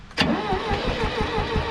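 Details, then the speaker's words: International 2400B tractor after points cleaned and spark confirmed, no fuel in tank; cranks, catches with a burst, chugs unevenly briefly and won't keep running, needing gas. "that was a fire Tim needs gas"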